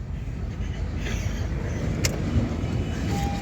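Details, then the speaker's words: Honda City, 2022 or 2023 model, manual, just started after repairing a crank-but-no-start fault: smooth low even idle with street noise behind, no misses or knocks; normal idle. "अब इसको self लगा रहे हैं ये गाड़ी start हो गई"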